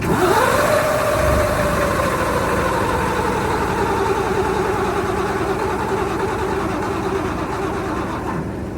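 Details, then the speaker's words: 1973 Mack FR711, 250C engine: starter whine, then steady turning about 3.5 turns a second without firing. The injection pump seems not to be building enough pressure. "So, there's nothing there yet. So, it's seems like it's not building enough pressure in that pump yet."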